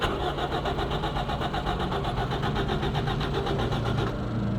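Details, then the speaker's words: Toyota Echo with security light blinking, original transponder key in; steady even cranking around two turns a second with no firing, immobilizer blocking the start: crank no start. "it is going on cranking but it is not starting so there is some problem with the security here this car needs a security reprogramming"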